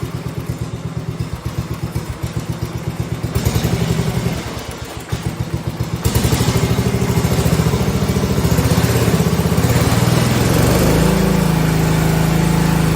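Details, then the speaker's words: 1971 John Deere 110 single-cylinder engine revving up after conversion from magneto/solid-state to battery ignition, original points and condenser kept; started easier. Picks up smoothly and evenly, holds steady higher speed: clean throttle response, major improvement over before. "that's a major Improvement I will say that it would not go like that before"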